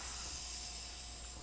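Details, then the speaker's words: Woodworking veneer vacuum bag being opened after pressing, with the pump shut off: steady high airy hiss with no pulsing as air rushes back into the bag; normal vacuum release. "Here's the hiss of the bag emptying, the air coming out."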